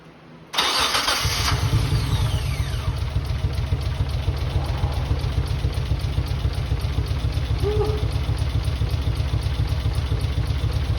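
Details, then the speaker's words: Mitsubishi 3000GT VR4, new engine first start, converted to crank and cam position sensors, old cleaned injectors; owner hopes they free up once warm: catches and settles into a lumpy, uneven idle, only some cylinders firing. Misfire from stuck injectors. "it's a start. These are old injector guys, and I try to clean them, but I feel like I have to remove the injectors from the old engine."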